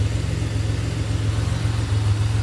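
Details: 2007 Pontiac Grand Prix GT idling after a crank-no-start fix with a swapped fuse box. Smooth, even idle with a steady low pulse, no misses, knocks or ticks; runs healthy.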